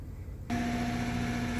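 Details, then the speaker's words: HVAC outdoor condenser unit running under low load (basement about 65°F, cool day), condenser fan motor reported running in reverse: loud steady hum with a clear tone over it; fan motor to be replaced. Noisy condenser fan motor. "so uh as you can hear that fan motor is super loud so we're gonna get it replaced"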